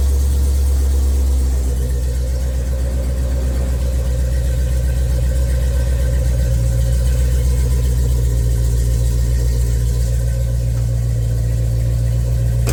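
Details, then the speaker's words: 1990 Chevrolet Silverado OBS shop truck after budget LS swap, 3-inch exhaust, idling in shop, can't rev due to limp mode; deep steady even V8 burble, no misses or ticks; normal idle. "Man, that sounds so good. That just sounds so good."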